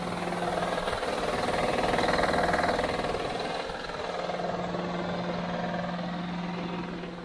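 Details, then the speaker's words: Honda Odyssey van at idle with a steady, even knock about four times a second; the noise disappears around 2500 rpm. The owner suspects the timing belt tensioner and replaced it with an AISIN BTH-001 tensioner, which he thinks fixed it. "noise goes away around 2500 rpm so I think it was a if it was an engine noise knocking noise it would keep doing it I think it is timing belt ten"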